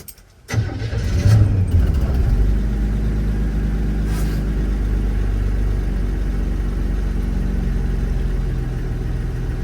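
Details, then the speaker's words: 1981 Chevy C10 cold start just after a spark plug change, with the foot on the gas; one old plug was wet with oil. It catches, surges unevenly, then settles into a low, somewhat irregular idle; hard cold start. "So I got my foot on it. There it goes. Stops again. Come on."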